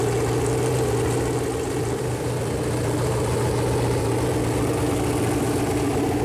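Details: Freshly built Chevy Performance 454 big-block V8 on a run-in stand, first start, temp around 190, good oil pressure: smooth even lope at steady speed, no tapping or knocking; normal idle.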